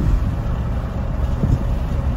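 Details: 2010 Silverado 2500 6.0L, misfiring after towing, running badly at idle; low lumpy uneven stumbling pulses, caused by damaged ignition coil wiring.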